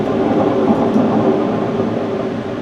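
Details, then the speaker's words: Ariens ST724 snowblower with the blower housing separated and the impeller turned by hand: a steady gritty rumble from a rough, worn impeller bearing, which was then replaced. "you can hear the roughness and feel it too. So we'll get that bearing changed out and get it back together."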